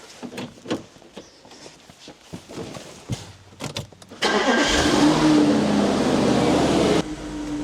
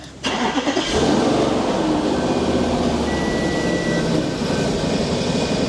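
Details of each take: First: Audi RS5 4.2 V8 after a ground wire was undone and throttle wiring pinned out between ECU and throttles: a few clicks, then cranks, catches at once and settles to a steady, even run; no fault codes, clean start. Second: Audi RS5 4.2 V8, after throttle bodies, engine ECU and wiring repairs elsewhere: starts, then idle wavers and hunts, lumpy and getting worse; throttle position bank one and bank two too low, basic settings fail; throttle wiring fault.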